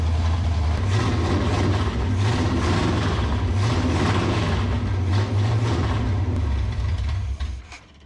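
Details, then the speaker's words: 1967 Pontiac Firebird V8 sitting about 15–27 years, fuel pump lines swapped, idle turned up slightly: loud open-header pulses stumble and sputter as revs drop and won't hold idle; revs healthy, cause not confirmed. "motor sounds healthy as can be when revving and running good it just don't like to to idle"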